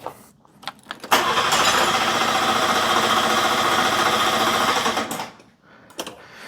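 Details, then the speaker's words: Car just boosted with a jump pack cranks quickly and evenly, about four turns a second for four seconds, never catching; it had been working, owner cannot hear the fuel pump and fears it is dead; crank no-start, no fuel delivery. "It was working. Hope we haven't killed the fuel pump. It is true. I cannot hear the fuel pump at all."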